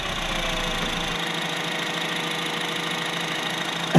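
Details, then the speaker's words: 2011 Honda CR-Z 1.5L hybrid started after an oil and filter change: a very quiet, steady hum with a faint even tone and no ticking or knocking; "Wow, it's quiet", a smooth normal idle. "Alright, start it up. Wow, it's quiet."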